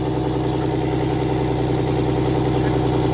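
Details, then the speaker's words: 6V92 Detroit Diesel bus engine during a rack and valve check: after about 20 seconds of missing on a couple of cylinders, it settles into a steady, even rapid idle beat with all cylinders firing. Judged normal. "Okay, it's still missing on a couple. I can tell. Let's try it again now. Now all of them are running. Normal. That's normal."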